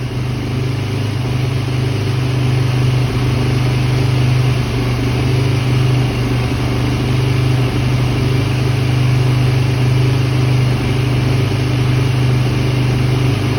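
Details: 2010 Yamaha YZ450F after hard-starting repair (valve clearance inspection, new cams replacing worn ones with bad timing marks, new fuel pump, new spark plug): steady even low thrum, no knocks or misses, running smoothly.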